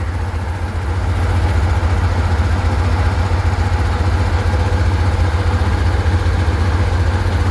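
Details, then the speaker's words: 1967 Chevrolet Corvair Monza coupe, 110 hp air-cooled flat six with two Rochester single-barrel carburetors and 2-speed Powerglide, 59 years old: steady, even low drone at idle with heavy exhaust note, no knocks; idle is a little loud, cause not identified. "Uh let's see if we can get that uh footage of the engine running for you. As you can hear, it's a little on the loud side."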